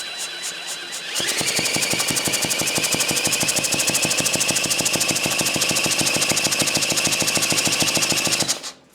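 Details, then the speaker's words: Early-1950s David Bradley walk-behind tractor engine, sat 20+ years, turned with a drill: even, rapid compression thumps under drill whine, never firing; has compression but definitely no spark, points suspected. "definitely no spark it apparently has some compression though that's cool"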